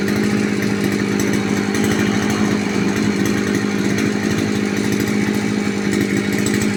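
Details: 2-stroke brush cutter after clutch plate change and service, started after carburetor primer pumping; steady even buzz at constant high idle with no misses or rattles, running cleanly.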